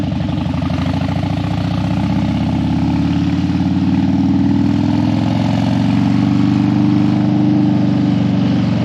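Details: Harley Dyna that died when hot and wouldn't crank hot, warmed up on a test ride after a suspected battery fix: even, loping V-twin beat holding steady at idle, no stumble or die-out. Healthy, settled running.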